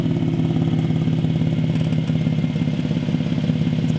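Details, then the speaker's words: Nissan 370Z with stock manifolds, test pipes and cat-back, warmed up, revved: quick even puffing ticks in time with the engine; owner suspects exhaust leak near the front downpipe, missing gasket or loose fitting. Unconfirmed. "kind of sounds like it's coming from right here ish so it sounds like it might be the front part of the downplay [Music] II yeah that does not sound good"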